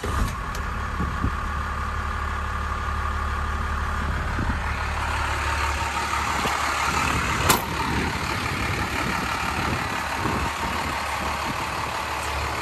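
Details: 1993 Dodge Ram W-350 4x4, 12-valve 5.9 Cummins intercooled diesel, automatic four-speed, 51,414 original miles: steady even low diesel clatter with solid rumble, no knocks or misses; normal healthy idle.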